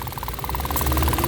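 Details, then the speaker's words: Mitsubishi Mirage 2017/2018 automatic, small four-cylinder, idling after a check-engine lambda sensor circuit high fault and engine vibration complaint; quiet, even hum with no strong shake, now running normally. "Kakatiin natin kung may nginig-nginig na malakas. Ayan na. Ito normal na to."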